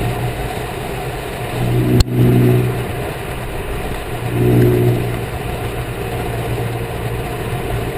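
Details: 2010 Corvette Grand Sport while driving: low droning groan swelling twice over engine sound, louder turning right, varies with speed and how sharply turning right; rear noise when turning, source unknown.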